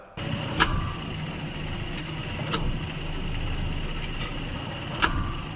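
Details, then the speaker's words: Cabin recording on a test drive: single sharp clunks every couple of seconds as drive load shifts when taking off in 1st gear or reversing. The noise goes away when driving steadily; the cause was unknown at this point. "so that's the actual noise you can hear come on and off when you're test driving and exactly like that but it's when you're going forward or if you're going back it's that load shifting movement"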